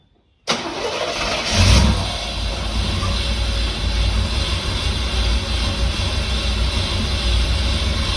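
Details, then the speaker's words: 1989 Firebird Formula 350 tuned port injection, 10,000 miles, long stored: short crank catches at once, rough low idle on sprayed brake cleaner; fuel not reaching cylinders, injectors suspected plugged. "Actually, it'll run on this brake clean too. It might be a little softer on that engine than that starter fluid."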